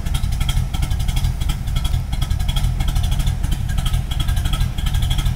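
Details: 1986 Pontiac Firebird with swapped-in Pontiac 400 V8 and TH400, not cammed: heavy lumpy, loping idle about ninety pulses a minute, stumbling like a big cam; rough idle, owner guesses the fuel pump/filter is starting to fail.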